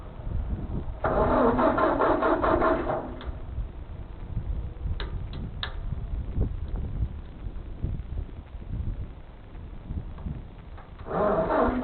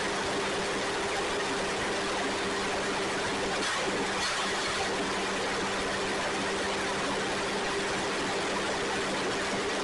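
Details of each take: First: Ford 2N tractor, unused for years, fuel system cleaned, cranked on a new jump pack: starter grinds in short bursts and the engine turns evenly but never catches. Cranks, no start; owner suspects the points in the front-mount distributor. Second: Ford 2N tractor (serial believed 1946), sat outside without tires until two weeks earlier, now started and being driven a little: even low drone with a steady tone and no knocks or misses. Normal running.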